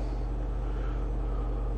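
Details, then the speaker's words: Old-school 10-inch Hollywood Sound Labs subwoofer after refoam, centered, driven at max signal-generator amplitude: deep, steady low hum, no buzzing or scraping; cone moves freely, normal operation. "i can come in and i can start carefully putting clamps to hold the gasket or the surround sorry in place and as soon as i got that i'm going to crank it up to the max my signal generator can do to make sure everything's golden"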